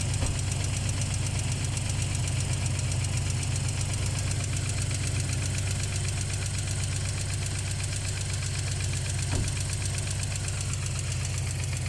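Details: ZMZ 409 engine (UAZ) cold start; steady low idle with fast uneven tick about four per second, disappearing when warm. Hydraulic lash adjusters suspected. Cold-start ticking.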